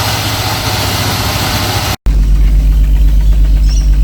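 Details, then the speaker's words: 1988 Jaguar XJ S3 V12, first run in seven years, fuel changeover valve bypassed: low lumpy idle with uneven pops every few beats; one bank misfiring, cause not found, owner considers disabling cold start sensor. "no leaks she's popping on the uh Bank B is it on Bank a I don't know on the Left Bank"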